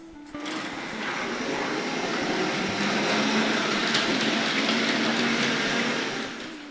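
Smooth, even high-pitched motor hum that holds steady as the loco runs around; motor sounds healthy and quiet.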